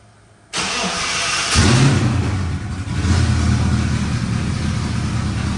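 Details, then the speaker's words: Car cranked via remote start on a new 5 lb AntiGravity ATX20-HD battery, after recent work (owner feared exhaust leak): short crank catches within a second, loud deep exhaust revs and settles; normal clean start, done twice. "All right, so we see the little battery, 5-pound battery, Crank the car up, no problem. I crank it up twice."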